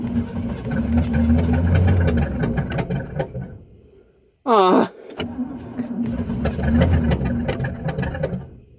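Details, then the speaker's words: 1964 Cadillac Fleetwood V8 on a temporary fuel supply after plug and wire changes: catches and surges in uneven bursts, sags almost to stalling, then catches again; owner suspects fuel starvation and needs carburetor rebuilt, rough running and stalling. "this is just more proof we're not getting enough gas watch this"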